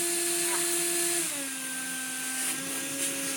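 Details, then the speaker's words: Refurbished Bosch Athlet cordless vacuum with hose fitted, on the medium setting; steady high motor whine with airy hiss, pitch steps down once, then runs smooth and even with modest airflow; normal running. "We suddenly have, yeah, airflow. You can hear airflow. Very good. Medium."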